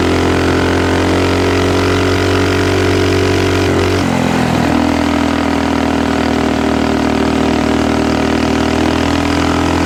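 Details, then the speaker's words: Axis/Coleman M200 mini bike, 196cc single, 22mm Mikuni carb, aftermarket exhaust, governor delete, riding with a 120 main jet: runs hard, then the note suddenly drops and stumbles at high RPM; owner thinks the 120 went the wrong direction and tries a 110. "All right, it was cutting out at higher rpm on the 120, so we may have gone the wrong direction with that."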